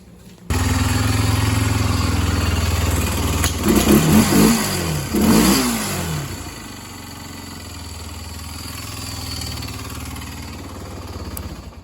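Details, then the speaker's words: Barn-find Honda ATV after re-adjusting the valves: engine catches and settles into a steady, even single-cylinder idle with a couple of blips; the valve ticking is gone, leaving only normal Honda noise. "all right so as you can hear the ticket and all that's gone now the little bit of noise you can hear now that's just normal Honda"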